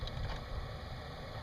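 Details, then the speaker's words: 2007 Toyota FJ Cruiser, passenger-side dash noise near the radio: one of three HVAC damper/blend door actuators rotating back and forth, unable to find its position, giving a low uneven grinding groan from its small plastic gears. "it's rotating back and forth you can see in here the little gears are moving back and forth it doesn't quite know where it's supposed to be"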